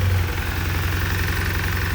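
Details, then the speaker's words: 1990 Honda CRX Si B16A3 at idle with quick, heavy, even rod knock from down low. A faulty injector flooded cylinder 4 with fuel. The injector was replaced and its wiring corrected, but too late: the bottom end is trashed and an engine swap is planned. "just knocking away so since that motor's pretty much going to be no good I have trashed the bottom end of this B16"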